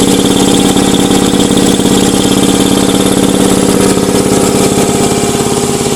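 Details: Ingersoll Rand 80-gallon vertical air compressor, 5 hp, 230 V three-phase, cover off and temporarily wired: loud steady pumping beat about two per second with even mechanical hum; runs smoothly, normal.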